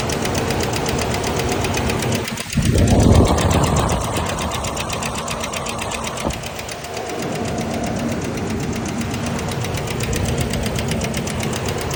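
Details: 2000 Ford Ranger XLT engine, two days after repair: fast, steady ticking knock, about four per second, through idle and a brief rev; internal knock of unknown cause.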